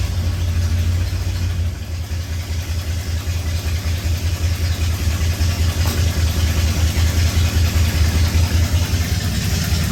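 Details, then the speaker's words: 1966 Ford F100 V8 idling just after starting with a new starter: deep, uneven pulse with a sharp puffing tick from an exhaust leak. "but check out how fast cherry starts now with the new starter and you'll probably hear the exhaust leak and set it down"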